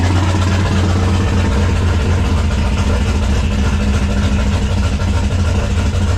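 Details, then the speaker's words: 1995 5.9L Magnum V8 in 1951 Dodge dually, first start after Comp Cams cam install with 60 lb injectors and new tune; uneven choppy lumpy idle, not all cylinders firing; misfire, two cylinders dead. "yeah we should probably make sure it don't plug off because it sounds like it's a little too choppy"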